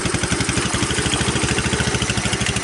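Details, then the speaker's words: Hammerhead off-road go-kart, 150cc GY6 single-cylinder, cold start without throttle, rear drive bearing failed: steady idle putter about eleven even pulses a second, no smoke, misses or mechanical rattles; engine runs normally. "Oh, good. Started without giving it gas. So you guys could hear it starts, it runs,"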